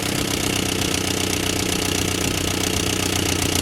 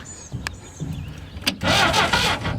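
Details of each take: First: Barn-find Willys Jeep 4-cylinder, after tightening the leaking fuel pump and adjusting idle mixture, smoking a little: steady, even low idle with a smooth unchanging rumble, no knocks or misses; normal idle. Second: Barn-find Willys Jeep 4-cylinder, year unknown, run on a 12 V battery, points filed: short burst of steady cranking, spins over but never catches; cranking no-start.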